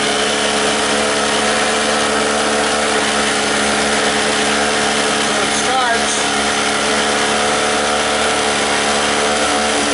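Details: Five-dollar two-stroke 900 W portable generator, first start, run on choke: a steady, high-pitched buzz at constant speed with no load. It runs well, though the fuel leaked.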